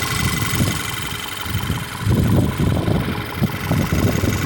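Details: 2013 VW Tiguan 2.0 TSI 4Motion after replacing faulty ignition coils that caused a misfire: engine idling with an even low rumble, no stumble or skipped beats; smooth normal idle.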